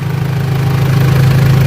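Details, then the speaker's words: Mitsubishi L200 Triton 3.2 diesel, just started cold: deep steady idle with no timing chain rattle; chain noise only appears at normal operating temperature, chain kit to be replaced. "Ó, não tem barulho de kit corrente, você está vendo, né? O motor tá frio. Eu acabei de funcionar ela, vou mostrar no painel para vocês verem."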